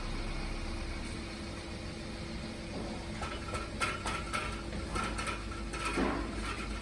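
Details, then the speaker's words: Engine held under load in Drive with the brake on: a low drone with loose, irregular metallic rattling bursts. Cause was likely a detached baffle weld inside the rear main muffler from age and vibration fatigue, and the fix was replacing the muffler. "エンジンをかけるとガラガラ音がする。ギアをドライブに入れてブレーキを踏み、エンジンに負荷をかけるとこの音が出ます。"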